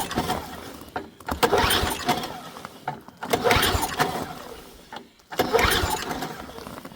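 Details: Ariens ST524 snowblower with dirty oil, tank refilled after being bone dry, primed, key on, choke on: three separate pull-start attempts, each a short rattling spin that fades without catching. It cranks but won't fire.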